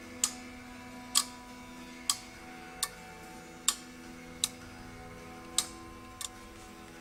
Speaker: that relay clicking that relay is energizing when I pull pin one to ground